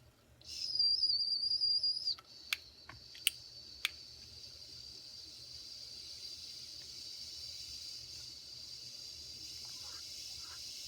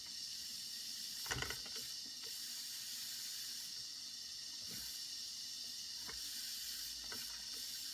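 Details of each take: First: Circa 1946 Watt Victor electric-heated toy steam engine after repair, reheated toward about 250 degrees: clear, steady high whistle for about a second and a half, then cuts off with clicks; whistle working properly. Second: Circa 1946 Watt Victor electric-heated toy steam engine during repair, heating to build pressure: steady hiss with faint clicks as steam escapes.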